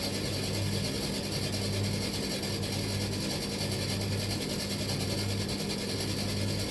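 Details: Tumble dryer, drum turning but stone cold with no heat: a dull knock repeats roughly every second over the drum's steady hum; mechanical fault in the drive, not a jockey wheel, cause unknown.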